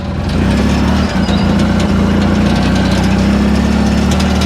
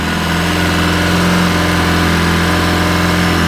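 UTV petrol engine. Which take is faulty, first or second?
second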